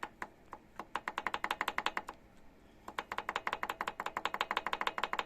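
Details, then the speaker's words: Yamaha Road Star XV1600 V-twin with valve cover open: sharp light metallic clacks in quick bursts, about six a second, as the rocker is rocked diagonally; worn rocker arm side play, not hydraulic lifters. Fix: thin shim washer. "толкатель с распредвала толкает вверх и она пьет вот так вот по диагонали вот в эту щеку Вот она вот он люфт вот щелка щелки Вот так он и мы слышим этот звук"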